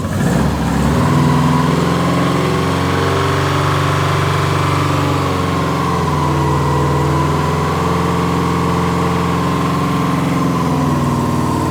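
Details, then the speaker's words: 2003 Subaru Impreza WRX, rebuilt engine bought locked up, first ever start, no coolant in: fires instantly and settles into a smooth, steady idle with even low burble, no knocking or ticking; normal start. "boom guys and just like that that was legit had not tried anything instant first start it freaking started"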